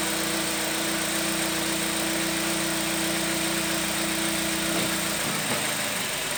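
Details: Toyota Vitz in Drive: steady low droning hum, then shifts and fades near the end; abnormal engine noise in Drive, cause unclear.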